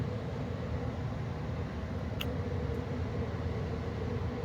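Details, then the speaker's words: 2013 Carrier Sentry gas furnace in an attic during startup, running normally. Steady, even low roar from burner and blower with no knocks, rattles or squeals. "there's probably are some more furnaces that that sound just like this it sounds like a brght furnace it's actually a carrier furnace"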